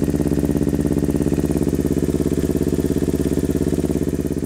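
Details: Freshly built Kawasaki Ninja 250R at 12.5:1 compression, first startup, new head gasket, stainless muffler and mid pipe, rejetted carbs (40 idle, 117.5 main, needles raised); even quick idle with a thin soft note, sounds weak and lean, oil smoke because rings not yet seated.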